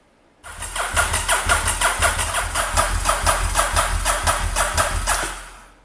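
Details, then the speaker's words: Restored Honda SP1 cranked in a short burst with the fuel tank off, fresh oil just added, to build oil pressure before first start: an even burst of steady compression pulses, about three a second, turning freely with no firing. "i'm purposely doing this with no fuel tank on so that we have absolutely no chance of the bike starting this may take a while because it's got to get oil round absolutely everywhere i'll do this in a couple of little bursts"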